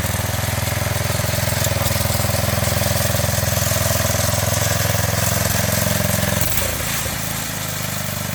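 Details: 1985 MTD two-stage snowblower, single-cylinder engine run with half the housing off after a carburetor adjustment: steady, even beat with no misses or surging; runs smoothly.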